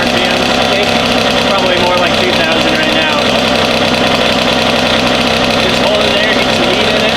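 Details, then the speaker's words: Kawasaki KX 85 two-stroke first start after engine build, on 32:1 premix, idling crisp, busy, steady and even with no bottom-end rattle; little smoke noticed but engine sounds healthy. "Yeah, and we were running that gas in Mike's recordings KX last week, so 32.1, nothing froze up. Yeah, it sounds really good"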